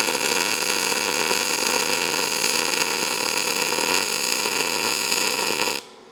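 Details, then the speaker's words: ArcCaptain MIG 205 MP short-arc MIG, wire speed around 425 before being lowered: steady harsh crackling hiss without smooth hum; arc too crackly, wire speed suspected too fast, smooths out when lowered to about 380. "So, the first two the first two welds were more crackly. I like more of a hum."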